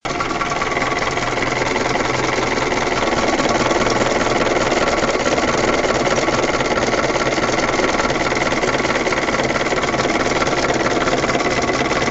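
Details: UMZ 417 engine in a UAZ 31514 at idle: a sharp, fast, even tapping of about three to four per second over the engine note. Internal knock; the owner does not know the source. Engine knock.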